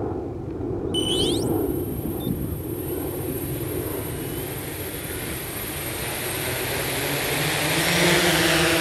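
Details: 1100mm hexacopter taking off in attitude mode in a crosswind: short beeps, then motors spool up to an even, steady roar under wind noise, no surging; clean takeoff.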